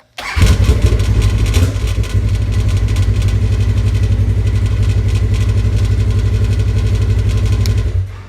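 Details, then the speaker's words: 2015 Polaris RZR 1000, after a no-start was fixed by replacing the sprag clutch (one-way bearing): cranks, catches quickly and settles into a steady, even, smooth idle with no knocks; normal start and idle. "There she is, all back together. Comes the final moment of truth here. What do you think? Haha. Sounds a hell of a lot better than it ever did."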